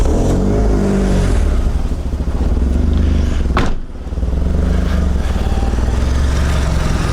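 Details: Mitsubishi Lancer CE two-door coupe, first start after reassembly and battery reconnection: idle with an uneven, lumpy beat that wavers and dips, seeming rougher than before; owner unsure if improved. Rough idle from faulty MAF sensor.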